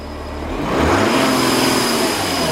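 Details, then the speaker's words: Audi Q7 4L 3.0 turbo diesel V6 losing boost pressure: revving brings a swelling rushing hiss from behind the driver's-side front bumper, a suspected intercooler boost leak; bumper must come off to investigate. "and we can hear that hissing going on behind there so we've got to take the bumper off to investigate"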